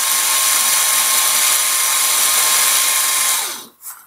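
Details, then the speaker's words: Banebot planetary gearmotor after regreasing, gears properly seated and aligned: smooth, even high-pitched whir with no clacking or knocking, steady until it spins down; the healthy sound you want to hear. "Donc ici, là, c'est le son qu'on veut entendre, ça ici."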